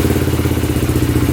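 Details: Polaris Predator 500 quad with a swapped-in 400EX battery: quick, even thumping idle with a steady beat and no misses or clatter; the single runs properly.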